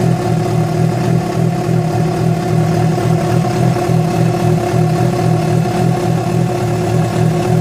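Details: Yamaha FZ6 four-cylinder with abnormal engine noise that began after riding about 70 km on two cylinders because of a failed ignition coil connector: steady drone with an uneven pulsing beat near three per second; fault unidentified.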